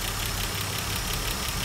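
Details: Mercedes-Benz W124 engine just started after cylinder head refit (earlier oil loss and white exhaust smoke): rough idle with quick, even light ticking; hydraulic lifters not yet filled with oil.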